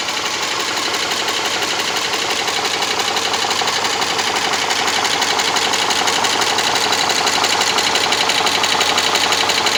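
Steady idle with a crisp, very regular ticking about three times a second, sewing-machine-like, cause undetermined.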